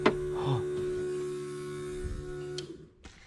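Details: Renault 5 GT Turbo van project after wiring up the fuel pump relay: steady low electric hum for about two and a half seconds, then cuts off; fuel pump priming normally.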